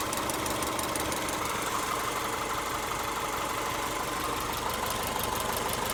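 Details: Subaru EJ201 non-turbo at idle: light, fast ticking or pinging at about three per second. Owner thinks it is not the timing belt tensioner; source unknown.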